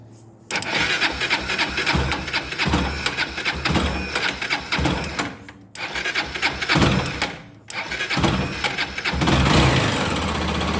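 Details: Honda CB 300 engine running with a sharp, fast "tec tec" tick, roughly three to four per second, over the exhaust. Source of the ticking is unknown.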